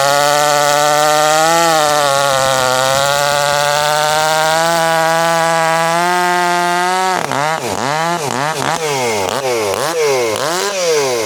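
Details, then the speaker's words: CS400 chainsaw running after a carb issue, now fitted with a Duke's carburetor, owner thinks it needs a little tuning: high steady two-stroke drone, then sharp throttle blips that sag and recover; uneven running after carburetor replacement. "I think I need to tune it a little bit, but we had a carb issue and we'll just go from there."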